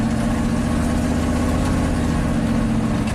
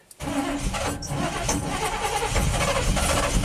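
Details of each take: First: 1987 GMC Sierra V8 plow truck at full throttle on a roughly 20% steep driveway after fixing a suspected bad ground at the spark module: deep, even rumble with no misses or stumbles. The earlier stalling under throttle is gone. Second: 1987 GMC Sierra plow truck V8 with throttle body injection, fuel gauge teed into the feed line: steady starter cranking with no firing; pressure reaches only 6-7 psi and drops, against a 9-13 psi spec; crank, no start from low fuel pressure.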